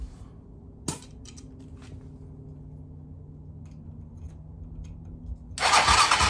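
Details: 2007 Hawk 250 Chinese single-cylinder dirt bike with crank-no-start, cranking on compression gauge with spark plug out: quiet shop hum, clicks, then short harsh whirring crank with no catch; reads about 60 PSI.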